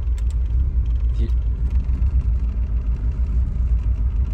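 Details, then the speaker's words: Volvo 940 cold start just after a new idle air control valve was fitted, with new plugs and wires but the original distributor cap; deep, uneven idle that surges and dips until it warms up after a minute or two; owner doubts the IAC is the main cause. "um it kind of has like a rough start um after a minute or two it'll"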